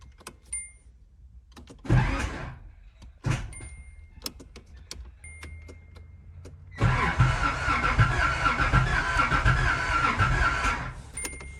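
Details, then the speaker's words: 1986 Nissan 300ZX Z31, long used as storage, started with a makeshift ignition key: short cranking bursts, then steady cranking that never catches. Owner plans fresh gas and a fuel filter swap; fuel filter thought to be the earlier main problem. Cause unconfirmed. "All right. All right. Hey, at least it's trying to crank. That's good. That's good news right there."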